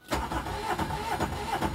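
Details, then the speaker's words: 2009–2011 Aixam Mega Multitruck small diesel van: the starter churns evenly for two seconds but the engine never catches; a repeat no-start, cause unknown (owner wonders about a plugged-in socket device). "I had the same problem when I came back it wouldn't start so I would try again"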